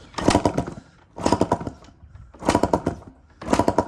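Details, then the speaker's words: Yamaha Tri-Z three-wheeler barn find, compression test with gauge in spark plug hole, throttle wide open, carb and reeds removed: four kick strokes of firm chuffs about a second apart, reading over 180 in under four kicks; good compression. "So less than 4 kicks. We're up over 180. Should be good. That's downright marvelous."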